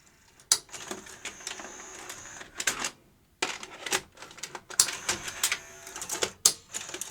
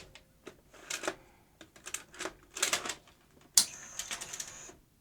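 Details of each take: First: Sony UVW-1200P Betacam SP player during repair, after grease on guides: short motor whirs with crisp clicks and clunks as a large Betacam tape loads and ejects smoothly; normal load-and-eject cycle this time after earlier intermittent failures. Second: Sony UVW-1200P Betacam SP player loading a large Betacam tape: clicks, clunks and brief motor whirs, then a high whine and silence. The reel spools apparently did not move out, so it seems not to detect tape size, and the source of an odd noise is unknown.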